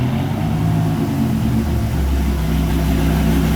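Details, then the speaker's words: 2000 Dodge Viper GTS Tremec T56 after rebuild for a rock-like clicking noise, wheels spinning in second gear; steady low driveline drone with no knocking or grinding, gearbox running smoothly. "second gear works tired of spinning third gear third gear is working fourth gear"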